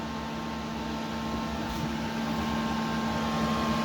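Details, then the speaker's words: Late 2005 Power Mac G5 (2.3GHz dual-core, GeForce 6600), woken from sleep: screen stays blank and fans run at full speed, a loud steady rushing whoosh with constant hum like an airplane; possibly failed RAM. "all of a sudden the screen doesn't show up with anything and now the fans are running at full speed"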